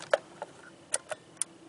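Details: Jeep JK Wrangler 3.8L, balance test for a misfire, camera by injector one, pulse tester set to a single pulse: sharp, light ticks over a quiet background, the crisp click of the injector firing; normal.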